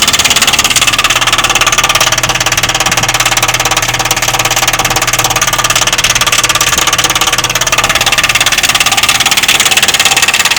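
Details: Heat pump outdoor unit: loud, very regular knock about three times a second over its running hum, lasting about an hour then stopping; owner told it's the defrost, cause unconfirmed; loud knocking noise.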